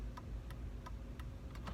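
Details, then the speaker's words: 2002 VW Jetta MK4 after replacing the failing turn signal flasher relay: right and left signals work, crisp regular ticks about three a second, and it no longer keeps ticking when off; normal. "Right signal light works. Left signal light works. And it no longer keeps ticking."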